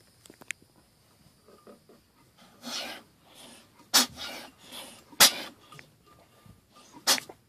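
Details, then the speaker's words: Mazda 13B rotary engine turned by hand via the flywheel with the rear leading spark plug removed: the front rotor's compression puffs are sharp and strong, while the rear rotor's are soft and weak, indicating bad apex seals in the rear rotor. "so you can hear how the front one goes poof and the back one kind of goes black"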